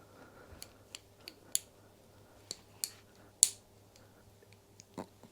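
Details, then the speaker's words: Indian-made motorcycle girder fork linkage spindle, nut turned by hand: sharp irregular snaps and clicks as it jumps the badly cut threads; stripped threads. "I can can you hear that I can actually make that jump threads"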